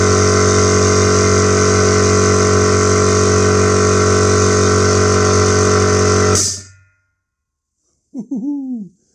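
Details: New SGS 50-litre air compressor, first run after unboxing, building pressure until auto-stop: loud steady motor drone with even hum, then clean stop; normal running.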